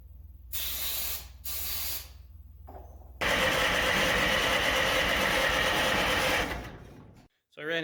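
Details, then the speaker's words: International 93 combine, four-cylinder 50 hp C153 engine unused 15–16 years: fuel line removed at engine and electric pump run to flush old fuel; hissing bursts then steady gush of fuel over faint pump tick, pump delivering normally. "so one thing dad suggested was taking the fuel line off at the engine and just let the fuel pump run"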